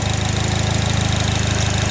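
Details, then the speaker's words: Fire GL at idle: fast even ticking, about a dozen per second, over steady low idle, tracking engine speed; owner thinks it almost sounds like fuel injectors but is unsure. "see that ticking almost sounds like fuel injectors too but I don't"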